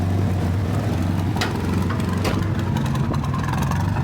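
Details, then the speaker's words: 1975 Toyota Corolla KE35 idling with a rough, raspy chuffing and sharp puffs heard under the car; exhaust is blowing, louder underneath than inside, leak located midway along the system. "like that sounds bloody terrible but it shouldn't sound like that. I can hear it here but I can't you can't really hear it too much in here. So I think it's midway."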